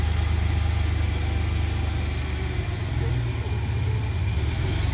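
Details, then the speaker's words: Ford Bronco II after a 4.0 V6 swap, with a homemade exhaust and small Flowmaster mufflers: deep, smooth, low rumble holding a steady idle with no misses, knocks or ticks; it idles well and runs great. "it idles out pretty good and sure runs great"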